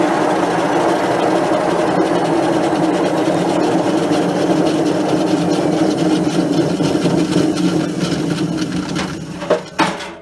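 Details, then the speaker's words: Hotpoint Aquarius WML540 washing machine universal motor hotwired and running: steady hum with an uneven rubbing rasp about three times a second, something inside the machine catching; unusual internal noise while motor runs. "sounds like there's something inside in the machine there"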